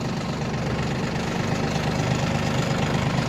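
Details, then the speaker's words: Yanmar RS30 30 hp Japanese diesel mini tractor pulling away in 2nd gear with reverser, gearbox shifting smoothly: even steady chug rising slightly, no knocking or grinding; runs without any noises, healthy. "Без каких-либо шумов трактор работает. То есть этот тракторок еще отработает очень и очень много времени и будет вашим помощником."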